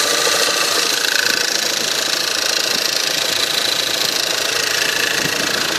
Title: Стук на холодную 1.8 tsi